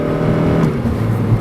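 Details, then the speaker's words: 2011 Honda Civic Si (FA5) manual, revved in third gear under load on road test: engine note flares and climbs without pulling harder; clutch slipping, clutch replacement due. "So that was slipping."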